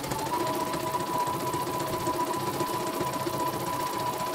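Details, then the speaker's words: Embroidery machine after repair of rough, growling rotation, thread tension adjusted; quick, even needle chatter with steady hum, no grinding or irregular knocks, thread not breaking — normal stitching. "Oke, mesinnya berjalan sangat lancar, tidak ada kendala sama sekali dan tidak mau putus ya."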